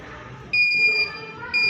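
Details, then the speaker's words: Fried ice cream machine that would not freeze, during diagnosis: two clean high-pitched beeps about a second apart; controller signalling the cycle finished and the unit switched off so pressures equalize via the solenoid valve. "equipment, that sound is paying me, it is letting me know that the equipment is paid."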